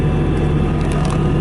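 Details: 2017 Bobcat T650 rubber-track skid steer loader, 2195 hours, idling after a keyless start with no active warnings or error codes: an even, steady low diesel hum with no knocks or misses. A smooth, healthy idle.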